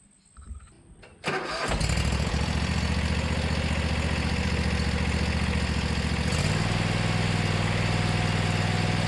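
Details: Riding mower unused about six months, with new starter and battery: quick crank, catches within a second, settles into steady even idle with no misses; running properly.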